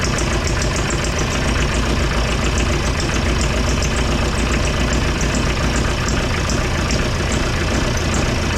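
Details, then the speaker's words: Kubota V2403 diesel in a TJ Wrangler, first start after removing the injection pump to adjust timing and bleeding the fuel system: steady, fairly slow clatter of about two knocks a second; sounds different and owner suspects it is idling lower, no tachometer fitted. "okay that has really changed that's a much different sound than what I'm used to uh if I had to guess um make sure it all those are tight it almost sounds like it's idling lower"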